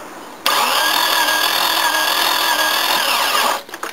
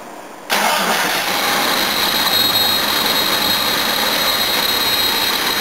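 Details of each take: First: XJ cranking steadily for about three seconds without firing; no coolant, water pours out of the radiator, engine overheated; timing slip or worse damage suspected. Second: Jeep XJ that had a no-start from suspected slipped timing, after timing adjustment: catches within a second and settles into a smooth, steady idle; sounds much better than before.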